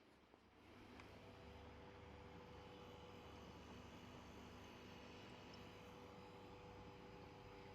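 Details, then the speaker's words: Electronic no-frost fridge with fault of not cooling below, compressor check: faint, constant low hum with steady tone, no knocking or clicking; compressor running normally. "Bien, creería que ustedes lo alcanzarían a escuchar. Yo lo estoy haciendo. El motocompresor está funcionando."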